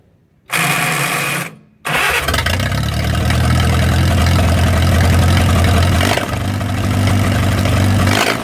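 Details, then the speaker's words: 1937 Willys four-cylinder flathead generator engine, revived after 15–25+ years sitting outdoors, spark plugs just pulled and checked: cranks briefly, catches almost immediately and settles into a steady, even low idle with no knocks or misses. "Ooh. She wants to run. Well, that is just fantastical right there. Y'all watch how quick this thing fires up. I'm just amazed."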